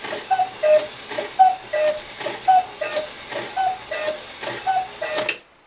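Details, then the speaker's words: Regula 25 cuckoo clock after adjusting the hammer and the bellows lift arms; a heavier weight of about 300 is being considered. Five thin, slightly laboured two-note calls with breathy bellows puffs; weak cuckoo call, cause not confirmed. "so in so many words the cuckoo sounds like it might be having a little bit of a struggle"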